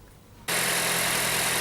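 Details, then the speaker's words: Petrol engine idling after removing torn air-conditioning compressor belt, which was suspected cause of a strange knock: runs smooth and even, no knock or tapping over the hum. "двигатель работает ровно"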